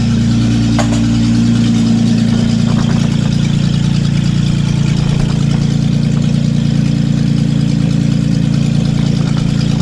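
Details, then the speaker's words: Datsun 280Z on its first start in years, idling loud, raw and deep with a steady low drone and no muffling; no exhaust fitted, running straight off the open manifold. "as you can hear there's no exhaust it's just an open manifold"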